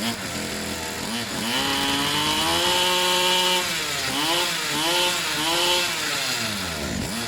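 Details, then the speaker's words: Pit bike / mini moto two-stroke after service with fresh fuel: choke was slipping and moving, so it was stiffened; now runs with choke fully off, crisp buzz revving cleanly through throttle blips without bogging; normal running. "what was happening was to choke itself was slipping and moving so I stiffened it up a bit it sounds much better now with the choke completely off"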